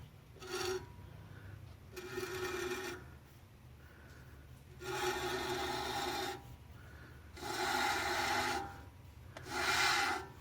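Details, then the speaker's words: 1964 Dodge D100 Utiline, wheel spun by hand: rasping scrape with each spin that fades as it slows, something rubbing at the brake; owner suspects too little pad or something behind the rotor, wheel bearing looks rusty, cause unconfirmed. "i think that's what i was hearing now where is it coming from it sounds like something is rubbing against that"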